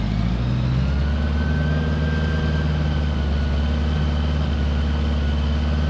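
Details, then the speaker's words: 1975 Honda Goldwing, all-original with 32,000 miles, just fitted with a Dynatek electronic ignition and new coils, warming up before carb sync. It holds a steady fast idle even with the choke pushed fully in. There is almost no throttle-cable play, so the cable is about to be backed off. "I wonder why it's idling so high I push the choke all the way in"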